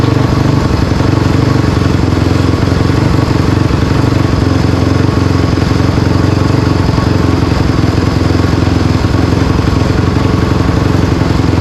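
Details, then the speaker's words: Honda CRF250R engine in a go-kart after water pump rebuild (new shaft, seals, bearing) for a coolant leak, test run checking for water leaks: fast even single-cylinder beat, steady with no knocks or misses; normal running. "I'm going to fire it up I fired it up before just for a minute to get water through it we going to fire it up again make sure no water comes out"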